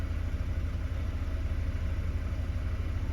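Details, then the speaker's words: Mercedes W124 220CE coupe with a high idle since a replacement throttle body and reduced fuel economy: low, uneven, lumpy idle with no clear knock; owner suspects the MAF or an air leak. "don't know if you can see that there but there's a bit of a rough slightly lumpy"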